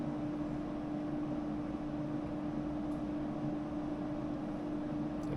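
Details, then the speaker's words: Air conditioner after a low-voltage short repair, tested by cycling the thermostat, set down to about 74: steady hum with fixed mid tone and even airflow noise, no rattles or cycling; normal running. "all right just clicked everything should kick off everything kicked off"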